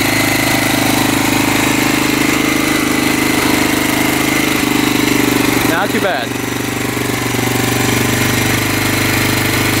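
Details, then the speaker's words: 1985 Honda XL600R single, sat for a couple years, 80 lb compression, just started after oil was put down the cylinder: steady, slightly uneven idle thump, burning off oil and smoking; stuck rings suspected, not confirmed. "she's burning off all that oil we put down the cylinder she's idling it's a good sign lights are working still smoking pretty good"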